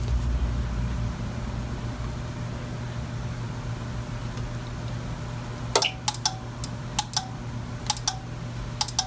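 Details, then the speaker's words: APC Back-UPS 550 salvaged from a dumpster: outlets won't power a lamp; the unit alarms and its relay clicks irregularly, about eight times in four seconds, while the battery light flashes. The owner suspects a bad battery. "i hear that relay clicking in there now it's alarming see it's working so hmm interesting see it that battery is flashing on there bad battery so that would lead me to believe that it is the battery"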